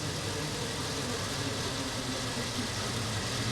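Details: Ford Ranger that would not start: steady, even idle with a smooth low rumble and no knocks or misses; charging system confirmed charging, starter working.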